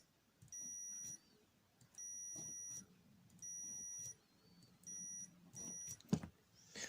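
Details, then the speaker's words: Makita DHP483 cordless drill trigger switch on multimeter continuity: beep cuts out and returns in uneven bursts with trigger held; worn, gritty, intermittent switch contacts. "they do pick up a lot of grit, but yeah, there it is, a slight intermittent on it."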